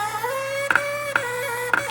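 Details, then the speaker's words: GE Profile ice machine: a steady high squeal with sharp clunks about every half second as the mechanism strains, because ice has backed up solid inside the chute. Its water hose was later found clogged, starving the evaporator. "Yep, that's exactly what's happening. The ice is getting backed up inside there. I need to clean that out."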